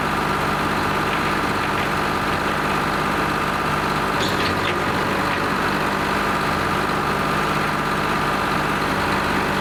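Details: Lima 34 shovel at its first start-up after repairs, before greasing and digging: a steady, even diesel drone holds constant with no knocks, misses or surging; the two-stroke Detroit is idling healthily.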